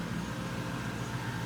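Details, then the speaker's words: 1967 Pontiac Firebird with built Chevy 400 small-block, Doug's headers and dual straight-pipe exhaust, just started: deep, loud, steady rumble with even firing, no misses or knocks; running healthy. "Whoa. Whoa! Man, that Nice. sounds great."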